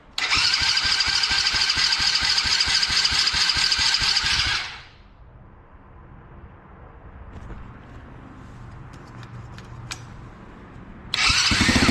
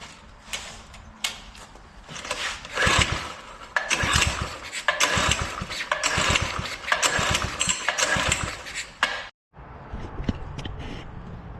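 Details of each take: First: Drift quad: after a couple of gas squeezes it fires first try, with a brisk, even buzzing run that cuts out, then catches straight away and settles into a steady rhythm; normal start and run. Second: Doodle Bug with a spark issue: repeated recoil pulls give rough, scraping cranking bursts but it never catches and runs on its own; cranking no-start.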